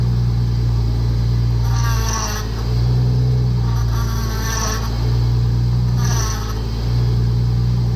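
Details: 1997 Toyota Supra 2JZ-GTE at steady idle, before pump and high-pressure line replacement, ATF in system: rising groaning whine each time the wheel turns, three times; suspected failing power steering pump, not confirmed.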